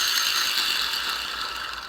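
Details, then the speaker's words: 1938 Plymouth transmission input shaft bearing, degreased and spun by hand during rebuild: dry gritty rattle like rocks in a coffee can; badly worn bearing, to be pressed off and replaced with a new SKF bearing. "have a listen how this almost sounds like a bunch of rocks rattle around the coffee can quite noisy"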